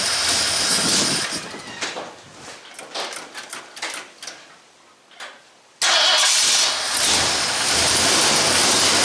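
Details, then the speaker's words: 1974 Ford F100 after an engine rebuild with new pistons and rod bolts, early run after its first start. A few seconds of cranking, then it catches cleanly and settles into a steady, even run with no misses. "run it more see it's going steady"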